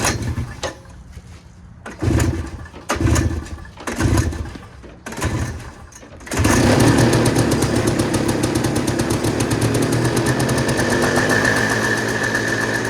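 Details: Two-stroke woken with ether after sitting, choke position uncertain: several coughing crank bursts, then it catches into a buzzy run that wavers a little; it ran okay but not good. Rough running.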